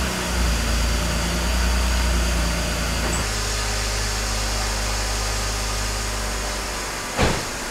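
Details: Car after full cooling system work with coolant and vacuum leaks fixed: steady engine running that settles to a lower, even idle after about three seconds, with no knocks or misses; runs fine, though mounts and tie rod ends still need work.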